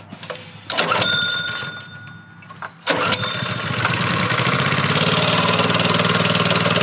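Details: Honda GX160 plate compactor that sat outside for five years, being restarted after refuelling: catches on the second pull, then the single-cylinder settles into a steady, even chug at about four beats a second, running normally.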